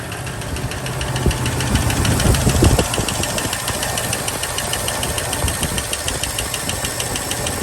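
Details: 1983 Ford LTD Crown Victoria that lost oil pressure, started after rocker cleaning and sitting about 20 hours; catches to a rough idle with light, uneven tapping about three a second; dry rockers, no oil flow seen, filter possibly plugged.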